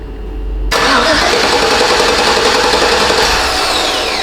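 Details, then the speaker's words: 2009 Chevrolet Silverado 5.3 V8, towed in from another shop that suspected the ignition switch, cranked by jumping the starter wire while in park. The starter spins steadily but the engine never fires: crank, no start. "it sure does but it doesn't run but she cranks that's interesting so now we know something"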